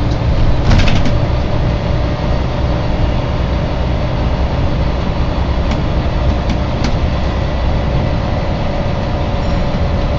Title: First West Yorkshire Wright Eclipse Gemini 2 36257 (BG12 YJO) humming noise